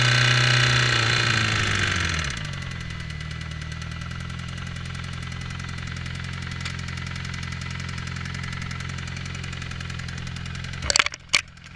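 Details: 2008 Suzuki GSXR 600 drops from a blip to idle with a steady light tick/click. The oil light comes on almost instantly when the clutch is pulled; temperature is 220, in the normal range. Oil was changed recently.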